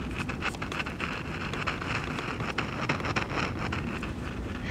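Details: 1963 AMC Rambler 3TMR AM car radio under repair, voltages restored but still dead: uneven crackling hiss with popping clicks, no station received; front end dead from failed converter transistor.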